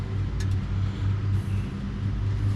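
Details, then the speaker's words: Turbocharged Honda CR-V at idle: lumpy, uneven loping pulse, running on only two cylinders; pulling coils made no change; cause found to be a faulty injector wire, not a misfire. Dead cylinders from injector wiring. "So it's only running on 2 cylinders. Could be why it sounds like a box."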